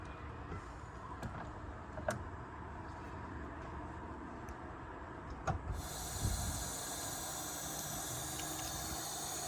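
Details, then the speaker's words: Mercedes W215 CL trunk with a broken lock: after locking, a steady airy hiss from the pneumatic locking pump runs on, but the trunk lock never releases. "Y'all hear that hissing, but it didn't do anything."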